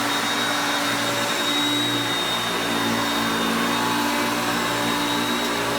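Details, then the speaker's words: Hoover Concepts self-propelled upright vacuum on carpet. Steady, even motor roar with a constant airy whine, no surging or rattles; normal running. "you put it on the drive for the self-propelled you will hear the motor pitch change as the gears change to me moving it back and forth as you can see there but it's still picking up really well"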